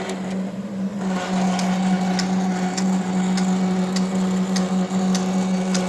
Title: Roland Versacamm Motor Error 0080 with Loud Noise